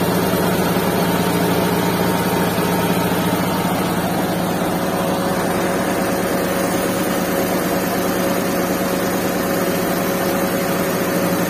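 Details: Restored Suzuki Mehran with a WagonR K6A 660cc engine and 3-speed automatic, vibration test with a glass of water on it; steady even idle, low hum, no knocks or misses, little vibration.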